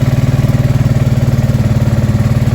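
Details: Honda Deauville NT650V5 motorcycle, just revived with new carburetor head rubbers: quick even beat idling very fast with a lot of choke still on; idle speed and timing need adjusting.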